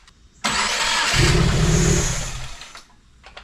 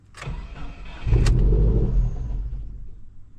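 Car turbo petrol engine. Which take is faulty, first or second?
second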